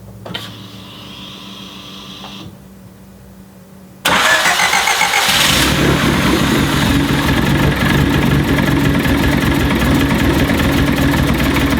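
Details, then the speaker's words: Turbo Honda CRX D15/Y8 with newly swapped Delta 272-2 regrind cam, valve lash just set, first start: fires after a quiet stretch into a loud, lumpy, uneven idle; cam timing may need adjusting. "Okay. I may need to adjust the cam timing."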